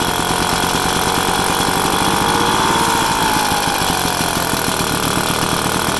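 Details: 1966 Vespa SS180 engine on a stand, first start after rebuild: fast, even crackling two-stroke putter at a steady speed with no knocks or rattles; normal running.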